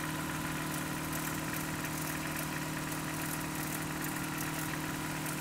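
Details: Just-bought Toyota 4Runner 22RE, cold start, filled with 5W-30 oil: cold idle with a light, fairly regular tapping about three times a second. Owner suspects timing chain and/or rod knock, unconfirmed.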